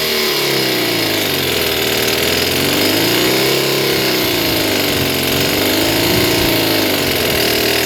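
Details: Stihl BG56 two-stroke leaf blower, restarted at wide-open throttle with choke off after being flooded full of gas: high buzzy note swings up and down, hunting and running rough for a few seconds before improving; rough running after flooding.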